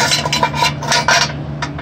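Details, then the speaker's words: Craftsman DYT 4000 muffler shaken by hand: irregular tinny clatter of loose internal baffle pieces, normally screwed in, tumbling inside; muffler also held by only one bolt, to be replaced. "Sorry guys, the little things that are supposed to come up out of here, and they're screwed normally in here, are loose and floating around in there."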